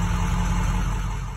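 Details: Ford 6.0 Powerstroke diesel with updated high-pressure oil system, faulty ICP sensor, starter previously engaging randomly due to bad wiring: steady low idle rumble with even beat, no knocks or starter clatter; normal idle.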